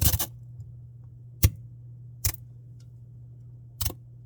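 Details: Samsung Bespoke refrigerator noise: low steady hum with scattered sharp clicks and jangles, irregular and about a second or more apart; abnormal rattle of unknown cause.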